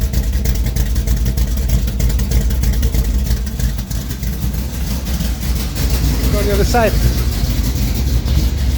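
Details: 1973 Plymouth Duster 440 V8 (bored .030 over) idling after a cold start following a week sitting: a deep, loud, uneven loping beat of about three pulses a second from a lumpy cam; normal idle.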